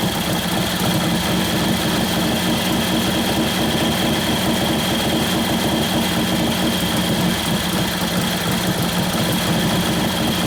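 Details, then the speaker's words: 1941 Harley-Davidson WLD 45 flathead V-twin, 56ci stroker build: steady low loping idle with a thin whine; idle mixture screw very touchy, a further quarter turn leaner makes it labor down, so it is reset. "I screw up another quarter of a turn more, if even that much. It starts to labor down. Put it back where it wants to be. It's real touchy."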